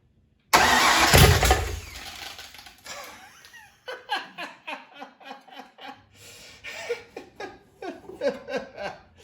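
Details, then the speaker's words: Factory Five Mk4 Cobra replica before first start, spark test with ECU fuse pulled, base timing 10 degrees BTDC: a short rough cough as residual fuel briefly fires, then even cranking about three to four turns a second without catching; ignition confirmed working. "there was just enough fuel in there and it tried to cough i'm not going to call that a first start but uh that is pretty awesome"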